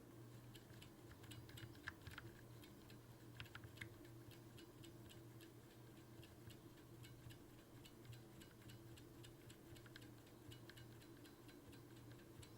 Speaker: the switch installed in my B key has a noticeable spring crunch when pressed slowly.